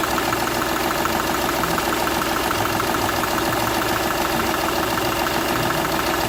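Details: Seat Ibiza 1.2 TDI diesel at idle: a sharp, regular ticking chuff about three times a second over the clatter, from compression escaping past the first cylinder's injector seal, which showed a burnt section.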